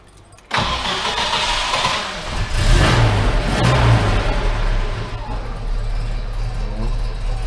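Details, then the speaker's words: GAZ Volga 2402 after expedition, first start with replacement gearbox and balanced driveshafts: engine catches and settles to steady idle, no whine, grind or rattle from the gearbox; no extraneous noises, sounds healthy. "посторонних шумов нет как на прошлой"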